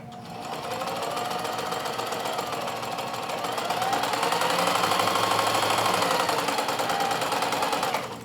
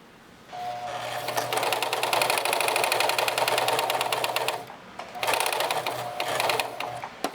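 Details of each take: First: Let's uh run the machine and listen how nice and smooth and quiet that sounds compared to the 4432. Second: Singer 4432 heavy-duty sewing machine, heavily used since bought September 2024, run after cleaning, oiling and greasing; fast slightly uneven clatter with faint knock; always a noisy machine, owner unsure and suspects something needs adjusting.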